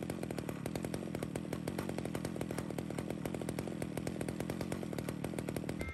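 Quick, even putter holds steady at one speed with no surging or hunting; a clean, stable chainsaw idle.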